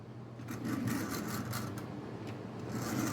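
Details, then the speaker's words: Tyco Canadian National model locomotive, first run after a push start, a little dirty: steady soft whirring with light rhythmic clicking as it rolls; sounds pretty good, should run well once cleaned. "That one sounds pretty good. So, yeah. I think clean it up, it'll run."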